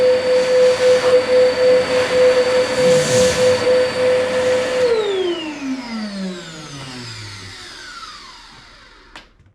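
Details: Chip extractor (spånsug) motor running after the owner's repair. It had sounded bad with a cutting noise, and the owner suspected a motor bearing. Now a steady, even hum with a clean high tone, no scraping, and a smooth coast-down at switch-off: normal running.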